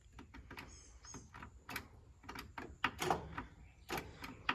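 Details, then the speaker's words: John Deere GT235 lawn tractor that otherwise runs well: rapid irregular clicking with no cranking or firing; failing starter solenoid, normally needs wiggling to start, needs replacing. "Um still runs good. But it needs a new starter solenoid. Like you can start it, but you have to kind of wiggle the the thing here a little"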